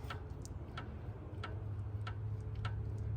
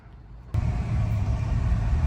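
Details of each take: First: 2008 Ford Escape V6 with a front-end clunk, front wheel off and rocked by hand: light sharp knocks about every half second; worn outer tie rod end. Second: 2008 Ford Escape V6 road test after front-end repair for clunk: steady low road rumble pulling away and cruising, no clunks from front end; clunk fixed.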